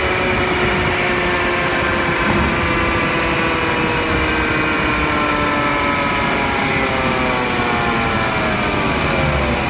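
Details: 2013 Subaru Outback on a short drive, recorded at right front axle where it enters the differential/transmission: rough multi-tone grind rising and falling with speed, pointing to a driveline fault near the front transaxle; cause unknown.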